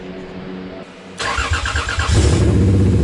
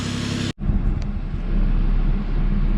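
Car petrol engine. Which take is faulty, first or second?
first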